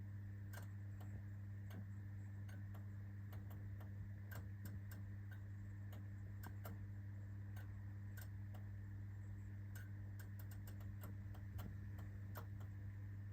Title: POLAM 40W T12 1988 fluorescent tube hard start